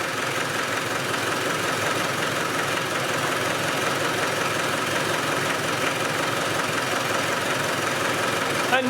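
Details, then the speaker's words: Spanish 110 engine running with the valve covers off, oil spraying everywhere, starting as it always does. An even diesel clatter at steady idle with valves ticking openly, no misfires or uneven beats. Compression seems fine. "let me start this up and you can hear it now that's how it starts all the time it's i can't see anything wrong with the compression"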